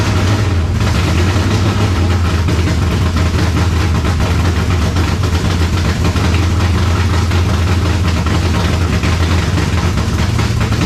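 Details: 1970 Chevelle V8 with Holley Sniper 2 fuel injection, timing just adjusted: deep, steady idle with a slightly uneven, shaky beat and no revving; owner feels timing is still off, plugs and IAC settings to be checked.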